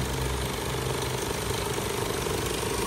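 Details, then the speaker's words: Isuzu Altera van idling with AC running: loud, busy rattling whir from the noisy AC compressor; system should be cold but is warm, has a refrigerant leak; to be recharged, cause unconfirmed. "g compressor para din yung subaro ayan parang magic oh ang ingay mas maingay pa dito o"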